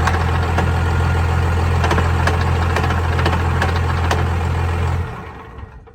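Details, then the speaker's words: Cummins diesel truck idling, transmission and transfer case in neutral: rough rattling clatter near four per second over the idle; manual transmission main shaft missing gears, 1st, 2nd, 3rd, 5th and reverse damaged, only 4th usable. "Yeah, the main shaft is missing some gears, so that's worse than it was the last time that it happened."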